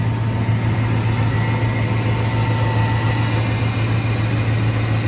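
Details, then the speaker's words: 2001 Ford F150 2WD, 5.4 two-valve V8, 277,000 miles, new exhaust: steady, even low rumble with no knocks, misses or ticks; normal idle. "Runs real good. He just had exhaust put on it."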